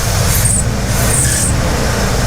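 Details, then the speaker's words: 1981 Pontiac Trans Am WS6 301 Turbo V8, not quite warm, flashing check engine light with ECM suspected bad: short high-pitched chirping squeals on each throttle blip over the V8 rumble as the loose accessory belt slips. "the belt is loose. It's got such snappy response, it spins the belt. You hear that?"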